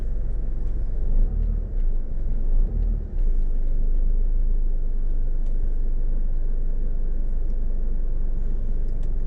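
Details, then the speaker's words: 2012 Nissan Rogue after induction service and throttle body and MAF cleaning for rough idle when A/C clutch engages: in gear with A/C on, low steady idle with only brief dips, needle barely drops; idling properly. "I'm noticing a great improvement drastic improvement actually they put it in neutral drop it in gear turn on the AC yep turn it on again the needle barely comes down now"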